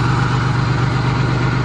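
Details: Van engine idling smooth and even with a steady low pulse, no knocking, on its first start after being hydrolocked by driving into water; water dumped out with intake manifold off, some possibly remaining.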